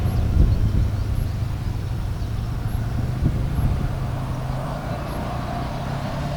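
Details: 1998 Yamaha Grizzly 600 4x4 ATV at speed on a test drive after repair, formerly limited to about 10–15 mph: smooth, steady engine drone with wind and terrain noise, no cutting out or stumbling, easily going 55; completely fixed.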